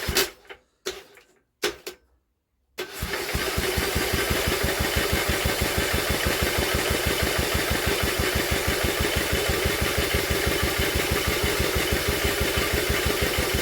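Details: Old Villiers engine on an Atom, drill-cranked with a strong spark: after a few short tries it spins steadily with compression puffs but never catches. The plug stays dry despite all the cranking; no fuel is drawn up.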